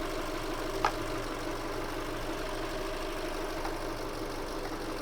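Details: 2008 Subaru Forester SH9, EJ253 engine, 4EAT, after heater hose replacement and coolant bleed: steady even idle hum, constant low drone, no ticking, knocking or misses; normal idle.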